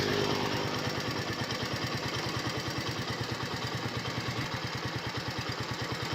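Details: 2021 United 70cc motorcycle, started for an engine sound check: small single-cylinder putters at a steady, even beat with no knocks or rattles. Clean, healthy idle.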